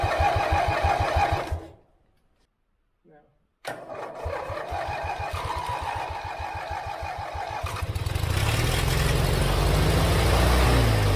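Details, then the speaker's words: Forgotten lawn mower revived after unseizing the engine with vinegar, after checking plugs and adding fuel to the bowl: cranking, brief pause, then catches and settles into an even, steady low thump with no misses; running fine. "you want to open this well there it is we finally got it running"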